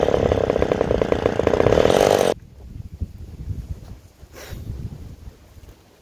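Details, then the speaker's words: McCulloch 10-10S two-stroke chainsaw after replacing the gas-cap check valve: gurgling gone, but it buzzes unevenly for about two seconds then cuts out; air leak suspected. "i don't hear the gurgling now that we heard in the last bit so that's one little problem now but uh yeah we gotta we got a al leak"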